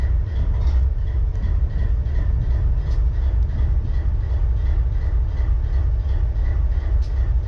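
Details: BNSF 4583 locomotive diesel idling: deep rumble with an uneven low beat, a stumble roughly every two seconds, one cylinder misfiring at idle.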